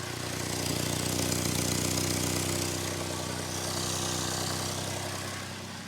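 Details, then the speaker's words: Turbo Toyota pickup at idle after drag-strip runs: a loud, raspy ticking puff over a low rumble from a massively cracked turbo exhaust manifold leak, which masks transmission bearing rattle in neutral. "it's kind of hard to hear much besides this massive exhaust"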